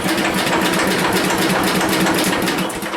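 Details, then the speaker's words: 1977 MTD 990 (badged Dayton, 16 hp) no-start riding mower cranked by a positive lead run to the positive post: steady, even cranking about four beats a second with no grinding or dragging; the starter turns it over fine, but the no-start is still unsolved. "She's running while she's turning over. So, that is not a problem."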